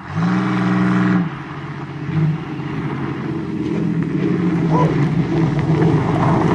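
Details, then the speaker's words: 1990 Chevrolet Celebrity wagon, demolition-derby car, not driven for a long time, battery just put in, low on gas: engine holds a steady, even note then picks up smoothly with throttle, no knocks or misses; sounds good, healthy runner. "Sounds good. I think it's definitely faster than that car."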